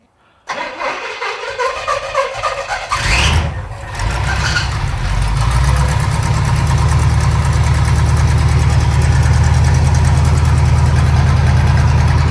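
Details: Pontiac T-37 V8 project, carburetor leaking and mixture just richened: cranks, catches quickly and settles into a deep, steady idle with no stumble; smoke comes from leaked transmission fluid on the header; sounds healthy.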